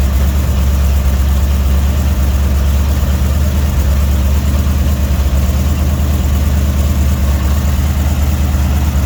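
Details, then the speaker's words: Budget-rebuilt Dodge 318 V8 at operating temperature, oil pressure 60 psi, temp holding 175-180: deep, steady burble with even lope, no ticking or knocking; healthy settled idle. "Oil pressure is 60 pounds. The temp's holding about 175, 180. So everything looks good there."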